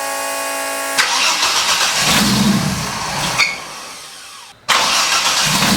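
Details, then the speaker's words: 1983 Ford Fairmont Futura, turbo Vortec 4200 DOHC VVT inline-6, after ECU trigger setting corrected from rising to falling edge: brief crank, then catches and settles to smooth, even idle without stumbles; normal start and idle. "all right so i had the one setting in the ecu wrong i set it to rising edge instead of falling edge that fixed the problem"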